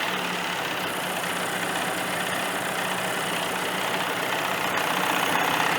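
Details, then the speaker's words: 1985 Johnson 20hp outboard restarting with barely a pull: even, steady buzzing two-stroke idle with a light high rattle, no misses or surging, pumping water properly; a healthy runner, though owner believes the shift dogs in the gearbox are shot. "Just an easy. They don't start any easier than that, folks. I'm not even giving it a pull. I'm just giving it a little. That's a runner. That's a runner right there for sure."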